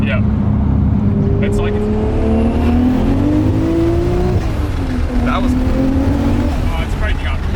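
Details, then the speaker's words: 450hp 1JZ Toyota Chaser under hard acceleration: second gear clean, then third gear turns ragged and stuttering, breaking up from around 6 (likely thousand rpm); misfire suspected, not confirmed. "It's misfiring though. Like Yeah, you can hear it, right? Yeah, I can hear it. It's like breaking up."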